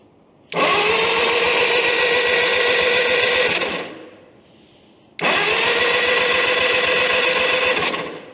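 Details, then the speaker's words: 1952 Caterpillar D4 dozer, sat roughly 10–15 years, pony engine cranked on a jump pack: two strong starter-whir bursts with even pulses about four per second; turns over freely with good even compression, spark not yet checked. "So all right, it sounds like it's whirling the pony over pretty good. That's the first milestone, is at least the pony engine is turning over. It sounds like it has good even compression from what I can hear."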